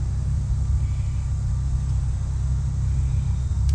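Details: Allis Chalmers 410 tractor, first start in 8 years, fresh petrol, choke working but no throttle: low steady rumble of cranking with no firing beats, not catching yet.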